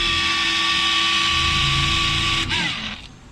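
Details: New Hitachi water pump running with a loud, hissy whine and steady tones, then winding down; first suspected a cracked motor bearing, but the cause is a small frog lodged inside the pump.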